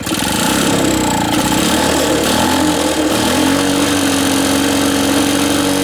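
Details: Reassembled Lawn-Boy two-stroke mower with a new gasket; choke open, automatic throttle, run briefly on squirts of fuel. Steady high-speed buzz, smooth and fairly quiet with no sputter. Runs well, quieter than the Jacobsen.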